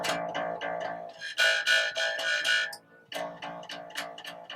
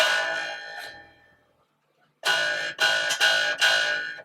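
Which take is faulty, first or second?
second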